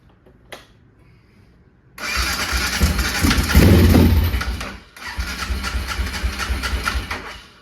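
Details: 2005 Can-Am DS650 big-bore quad with the CDI hooked up and a jump pack: silence, then it catches at once and settles into an uneven single-cylinder idle with one brief dip. It fires and keeps running.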